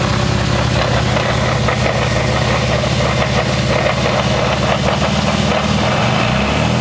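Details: 1994 Toyota Supra twin turbo, 6-speed: steady low droning hum with rough pulsing edge; cause turned out to be the worn rear wheel bearing, an unusual sound compared with other cars.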